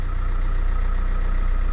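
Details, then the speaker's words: Opel Vectra C after replacing a whining power steering pump that lost assist on full lock: engine idles with steady low hum, no whine while wheel is turned slowly; new pump healthy. "Dobra, nie wyje. Jest dobrze. Jest cichutko. Teraz tak przekręcę parę razy kierownicę powoli, ale nie wyje. Czyli dobra jest"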